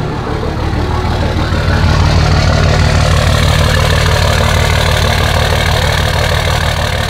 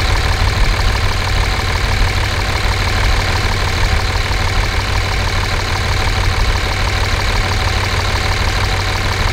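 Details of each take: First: Dodge 5.9 24-valve Cummins diesel bought with problems, cold start with no muffler fitted. Loud, uneven, lumpy idle about three beats per second, like one cylinder stumbling; cause unconfirmed. Rough, misfire-like cold idle. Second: 5.9 24-valve Cummins diesel, warm, check engine light on from an unplugged CP3 fuel control actuator: steady, even idle clatter with loud open-exhaust drone and no distinct tick; manifold temperatures within about 10 degrees, healthy idle.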